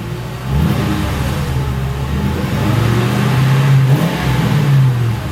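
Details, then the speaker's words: 2006 Ford Crown Victoria P-71 V8 with stock mufflers, before muffler modification, revved while parked, heard from behind: deep rumble swells with each blip and settles back smoothly; normal exhaust revving. "Okay, this is going to be the before muffler mod sound of the car. So I'm going to jump in there, rev the thing up, and you get to hear that."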